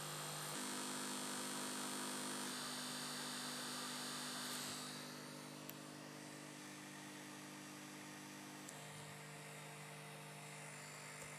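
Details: L502x laptop freezing while running a 3D game: harsh steady electronic buzz with a high whine through the freeze; cause unknown.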